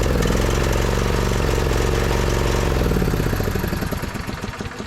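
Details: 2008 Husqvarna YTH2242 with Briggs V-twin, after fitting a new spark plug (spark present, coil still suspected at this point). Uneven, lumpy firing with a ragged beat that never settles, then dies away; one cylinder not pulling, from a bent push rod.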